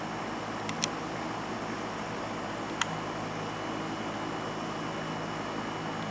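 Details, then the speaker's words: Vintage electric fan from a collection starting and running, fridge hum audible in the background: only a faint, steady airy hum with no rattle, ticking or bearing noise. The fan runs quietly and perfectly. "it does not make any noise on Startup anyways that noise is the fridge you can barely hear this thing it has like no noise that one runs perfect not a problem with it"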